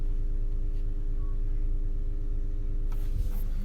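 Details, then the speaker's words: 2013 Chevy Cruze with installed aftermarket subwoofer: steady fixed-pitch low electrical buzz heard from the subwoofer at the trunk only when headlights are on; grounds sanded and checked, bad battery ground fixed, cause unknown. "And we get a fucking buzz noise coming from the subwoofer when it's on, when the headlights are on that, or when it's on auto and it's nighttime and the headlights come on. Only when the headlights are on, it gets this buzz."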